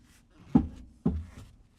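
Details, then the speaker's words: 2007 Toyota Corolla, clunking since purchase, wheel turned by hand on lift: two dull clunks half a second apart, linkage jumps each turn; owner believes the sway bar end link, CV axle feared, not confirmed. "Okay, guys. I found the issue. I believe it's the sway bar end link."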